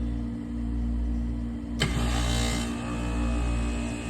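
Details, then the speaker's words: Lennox L series rooftop unit (four compressors) tripping the main breaker: compressor started by manually pressing its contactor, steady low hum then sharp clack and smooth pickup without groaning; normal start, no fault found. "Now, very simple. We are going to stand off to the side and press in our contactor. Sounds pretty good, no issues."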